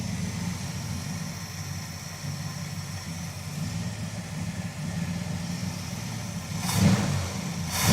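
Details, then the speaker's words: V8 in a crew cab Charger project, idling after an oil change once the tick went away: uneven, stumbling beat, the engine misfiring again. "She's back to misfiring again. Dang it."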